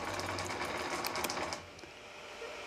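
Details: Sculpfun S9 laser engraver X-axis stepper diagnostic for support: rapid buzzing stutter as X jogs, stopping short after about 1.5 s while Y jogs fine; axis judder, cause suspected not confirmed (motor later tests okay after swapping wires).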